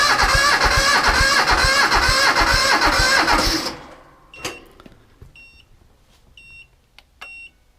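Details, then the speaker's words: 1978 Bolens diesel tractor at about 32°F, cranked with a KeenPower super capacitor jump starter: it cranks briskly at about three even compression beats a second without firing, then stops. Strong, healthy cranking, noticeably faster than on the tractor's own battery. "but you noticed how much faster the engine started or was turning when we hooked up the super capacitor versus your battery"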